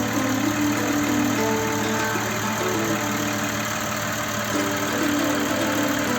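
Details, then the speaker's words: Audi Q7 3.6 FSI VR6 that knocked during warm-up, after a major repair: smooth, even idle with a steady mid-pitched hum and no rattle or knock. Healthy. "отлично работает сто шепчет"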